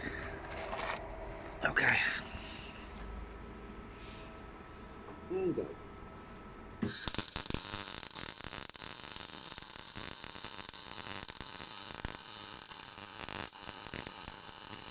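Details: First test of a new Parweld XTC 181C MIG welder with the gas on, replacing a SIP Handymig. After a moment of quiet, a steady, even frying crackle holds for about nine seconds; the arc sounds stable and well set.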